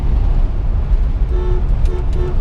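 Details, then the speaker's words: 1965 Ford Mustang GT, original 289, 36,187 miles, engine running: three short clear horn toots over a low engine rumble, each tone steady; the horn works normally. "can see the horn works as well."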